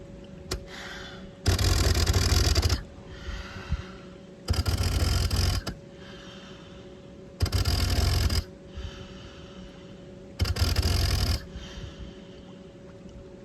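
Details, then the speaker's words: BLU3 Nemo tankless dive system tested at a pool with the valve turned on and the regulator in the mouth. The motor kicks on in short bursts about three seconds apart, only on inhalation, to push air down the hose. Normal demand cycling. "you should be able to breathe through it normally. And you can hear the motor only kicking on to push air down the hose when I am breathing in."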